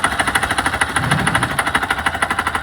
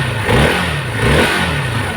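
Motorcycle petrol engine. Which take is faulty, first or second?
first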